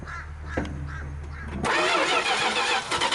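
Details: 1973 Dodge D100 on its first start attempt in 10 years, fresh battery installed and float bowl primed from a bottle: starter churns briefly with a rush of noise but the engine never catches. Cranks but does not start, cause unconfirmed.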